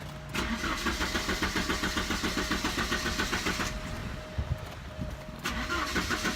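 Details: 1988 Porsche 944 with new fuel pressure regulator and DME temperature sensor, DME relay jumped, AFM unplugged: starter cranks in even pulses about four per second with pauses; never fires, crank no start.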